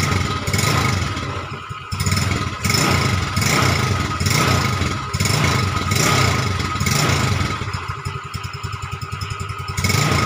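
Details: Yamaha Mio Smile carburetted scooter after custom CVT rebuild (Mio Z roller housing, big pulley), tested at night: repeated throttle blips rise and fall cleanly, no rattle or slipping, very smooth; normal revving.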